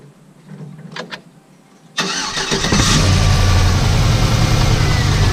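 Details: Car engine after repairing a terrible grinding noise, pulley refitted with blue Loctite on bolts and belt reinstalled: catches at once and settles into smooth even idle with no grinding; repair successful.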